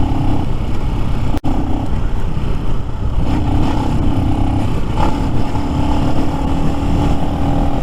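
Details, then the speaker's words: New Lifan X-Pect, about 70 miles, pulling uphill: steady pull with a sudden brief drop-out early before catching; intermittent cutting out, cause not yet found on the ride, later fixed by adjusting valve lash. "I'm sure people who see me are like what the hell is he doing as this thing's hiccuping and carrying on"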